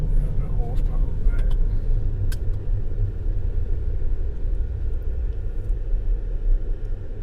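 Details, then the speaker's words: 2020 Ford F-150 3.5 L EcoBoost that was running rough, after new coils, coil boots and spark plugs. A low, even rumble with no stumbles or misses, no more sputtering. Normal smooth running after repair. "Yeah, I can tell the difference. I get up in your nose instead of like sputtering something. Yeah. Feels pretty good to me."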